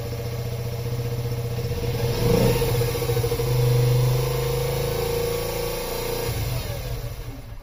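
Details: Yamaha Raptor 50 quad, first start after head repair, neutral with choke: engine catches and revs up, then hangs high without settling to idle; owner suspects a dirty, gummed carburetor or a lean mixture.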